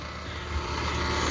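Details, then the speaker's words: 2017 Carrier Sentry 3-ton heat pump outdoor unit, suspected low on refrigerant, first time doing this: rough rattling drone with low hum and fast fluttering buzz, loud abnormal running noise; owner guesses the compressor. "Yeah, I've This is the first time it's done this. I'm really not sure what it is,"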